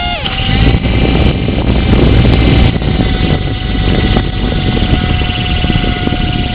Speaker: so what happens is that that motor there controlling the top rotor is making the high pitched wine